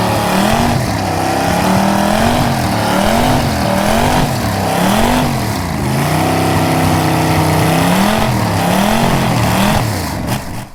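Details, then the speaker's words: Old engine revived after 30 years underwater, heads and block resurfaced: loud, fairly even running with revs rising and falling as throttle is blipped, little smoke, no knocking or misfire; normal running. "Hollywood couldn't even reproduce this like this is just crazy and it sounds good sounds awesome and it ain't smoking a whole lot like it's it's kind of clean"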